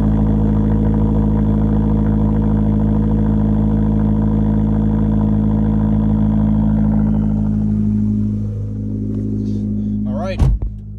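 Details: Fiat Abarth 500 with engine swapped 8 months earlier: smooth steady idle about eight seconds, no knocks or misses, then switched off; healthy.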